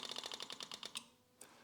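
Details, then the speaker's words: Yamaha YZF1000R Thunderace rebuild: quick light ticking about ten a second for a second, fuel pump priming and now sounding pressurised, normal. "oh that fuel pump now sounds like it's pressurized almost you know"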